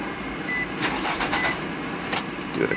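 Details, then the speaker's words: Mid-2000s (2005) Nissan Altima, after replacing the fuel pump assembly: faint electric whir with a few light clicks as the pump runs a second or two at key-on, then stops; normal fuel pump priming. "see a few pumps let me turn on for a second or two when you first turn the key on and they stop"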